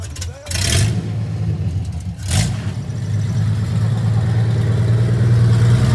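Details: First test drive of 1982 FJ45 pickup with freshly rebuilt 1977 Toyota 2F and H55F 5-speed accelerating: clean pull with steady low drone, shifts without clunks or grinding; goes through gears fine; engine and gearbox normal.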